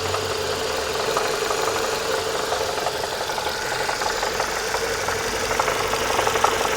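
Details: Renault Megane 2, warm engine: sharp fairly regular light knock about three times a second over the hum, appearing on lift-off and at steady rpm while driving; source unknown.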